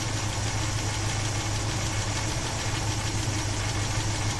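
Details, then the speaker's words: 1976 Chevy Blazer 4x4 350 V8, warm idle, running badly and dying with a rattle: deep steady hum with light fast tapping from a lifter tapping for 15-plus years; hydraulic lifter tap at idle. "On this side, I just hear that tapping lifter that's been tapping for 15 plus years."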